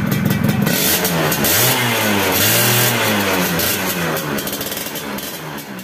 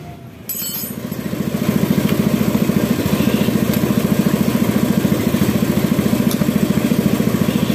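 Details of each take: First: Yamaha F1ZR two-stroke after fixing the corroded, leaking cylinder head: crisp revs climb and fall cleanly with quick, strong pickup and no misfire or rattle; engine healthy. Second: Yamaha F1ZR two-stroke after an engine rebuild, lacking power: soft, even popping idle with a flat, breathy exhaust and little punch. Low compression from a cracked, leaking cylinder head near the spark plug seat.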